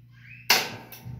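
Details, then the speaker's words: Whirlpool top-load washer, after replacing the lid lock actuator for a stuck lid with blinking LED, spin cycle start: sharp click-clack then lighter clack as the lid lock latches; normal lid lock engagement. "and if you could hear the noises that the actuator changes is making, which is normal and we are going to wait for nothing more than that it starts playing"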